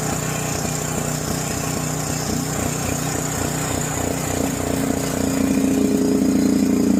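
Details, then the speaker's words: John Deere 6200-watt portable generator, dry-stored four years since Hurricane Ian, carburetor varnished by old fuel; at half choke after start: chugs unevenly, irregular beats surging and climbing near the end, hunting; rough running, possibly low fuel. "So, we do still have some running problems. We might not just have enough gas in there."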